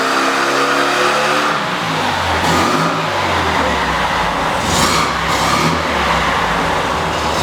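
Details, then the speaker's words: Neglected 1600 dual-port air-cooled VW Beetle flat-four on dyno at full load after ignition advance corrected (about 32° total): even, clean rising roar, no misfire or pinging, oil pressure fine; healthy. "Clean sounding better sound something yeah and the oil pressure is still fine yeah"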